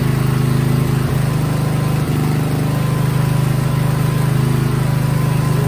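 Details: Coleman generator with a Briggs & Stratton engine, unused for six months to a year, started on choke after refitting the muffler and priming with fuel; settles into a steady, even hum without misses or surging; running normally.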